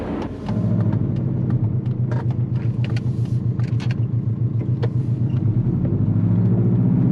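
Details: Compound-turbo Subaru Forester on a drive: deep, steady low rumble under the engine note as boost builds, with scattered ticks on top; source unknown.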